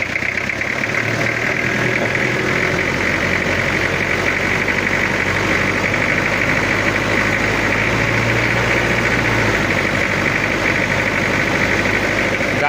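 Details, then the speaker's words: Toyota Kijang diesel after head rework, idling during radiator bubble/pressure test before injection/tuning setting: dry, harsh idle clatter with uneven coarse knock; rough because not yet set. "untuk suara ini suaranya agak kering kasar belum kita setting"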